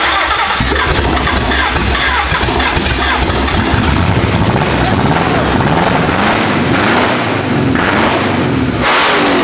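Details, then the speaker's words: Mercedes with an engine swap, first start after cylinder head cleaned and reinstalled: catches and stumbles choppily for a moment, then settles into an even run on all cylinders; cam phasers (VTC) possibly not yet tuned; healthy start. "We're on our way now, baby. That sounds proper. That's good. It just took it a second to clear up."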